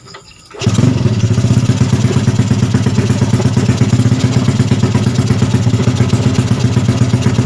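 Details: Freshly rebuilt Yamaha Jupiter Z bored up to 120cc with 53.5 mm piston, first start, cold: catches after a quiet start and settles into a steady, even putter with no knocks or misses; healthy idle.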